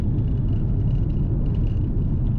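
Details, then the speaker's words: Holden VT, stock Ecotec V6 at nearly 300,000 km with 3.46 rear diff ratio: steady low hum under road rumble at about 100 km/h, roughly 2300–2400 rpm, droning evenly without knocks, loudest around 80 km/h; worn noisy differential before swap to 3.08. "As you can hear, that diff is quite noisy. Well, hopefully you can hear it anyway."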